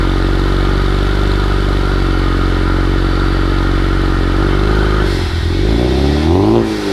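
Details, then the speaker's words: 1971 Pontiac GTO cold start, first run in 5+ years on fuel from a new gas tank, with new exhaust. Loud, steady low idle with slight clatter, then engine speed dips and wavers, puffing smoke the owner assumes is moisture. Odd running sound on cold start, cause unclear. "there's the cold start but I don't know I kind of played the video back and it sounds weird in the video but maybe not when you guys listen to it"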